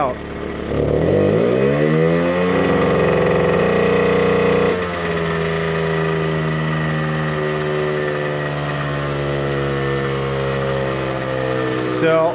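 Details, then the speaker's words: 1979 Suzuki JR50 two-stroke minibike, cold, with the correct BP4HS plug fitted; idles fine but revs hang and flatten instead of climbing, a bog that won't clear; bogging, will not rev out. "As you can see, she's idling fine, but listen to this rev"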